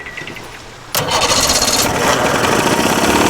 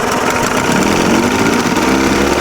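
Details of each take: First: 63-year-old boat's motor running for the first time after restoration, water spitting out, temperature 136–142: it catches after a second and settles into a fast, busy idle that stays high instead of dropping. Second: 63-year-old abandoned boat's outboard motor, first run after revival, temperature 136–142: even, fairly fast idle with a steady buzzy drone and no knocks or misses; seems to idle high but runs smoothly.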